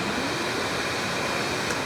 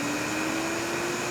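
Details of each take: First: Electric Cleaner Company K-9 pet force dryer, rear motor run during initial diagnostics: steady, airy blower rush, then wind-down with only a slight growl from the carbon brushes. Normal motor run and wind-down. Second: K-9 pet dryer, front motor running and winding down: steady high motor whine climbing in pitch with fizzy crackle underneath, audible electrical sparking and noisy bearings; motor brush arcing, front motor possibly bad.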